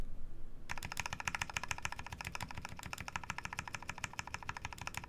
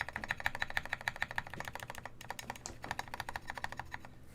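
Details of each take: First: Baka60 custom mechanical keyboard: quick, even clacks from a repeatedly pressed key, clean with no rubbing or rattle from the stabilizer; earlier stabilizer housing rubbing is put down to the right shift. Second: Baka60 custom keyboard: steady keystrokes about two a second, each with a bright scratchy clack from the stabilizer housings rubbing, not ticking; more lube may fix it.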